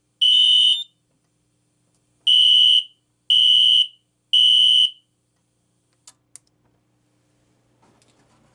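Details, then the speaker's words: Kidde FX fire alarm system with a System Sensor P2475 SpectrAlert Classic horn strobe: one long buzz, then code-3 buzzes; first buzz higher pitched than the code-3 sequence, cause unknown. "the first buzz like was like higher pitched and then when it went went into the code three sequence, it went it went in to lower pitch. I'm not sure why that is."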